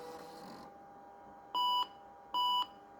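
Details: Vintage computer with 6 MB RAM showing a configuration mismatch, hard drive confirmed working: two short, clean, high beeps about a second apart in a quiet room; normal power-on self-test beeps at startup.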